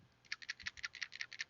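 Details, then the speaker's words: Dodge Neon PCV valve shaken by hand gives about a dozen crisp, light clicks, a free rattle showing a good valve, unlike the sluggish removed one. "if you hear it rattling freely a lot of times that means it's still good"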